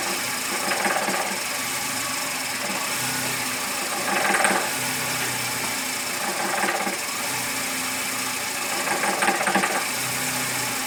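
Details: VW Gol G5 bought new in 2010, noise present since purchase and worsening: engine running with light tapping rattle over the hum and louder swells every few seconds; abnormal mechanical engine noise, cause unknown.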